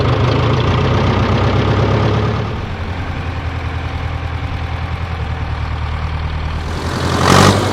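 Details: 1968 John Deere 500A diesel tractor (industrial 3020), with owner blaming 10+-year-old fuel for earlier stalling and up-and-down RPM, started on a warmer day after sitting a week: steady low even chug, no misses or knocks; normal idle.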